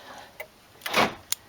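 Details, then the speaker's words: A Nissan N13 Sunny/Pulsar door central locking actuator on temporary twisted-together wiring, not yet linked to the lock: light clicks, a short buzzing whirr and a final snap as the motor cycles properly. "it all works so now I've just got to uh so I've got to actually um see if I can shorten this and fabricate this so with a little Bend in it so it fits into the lock in there as well now so that is a Next Step but by the looks of it it's all working as it should"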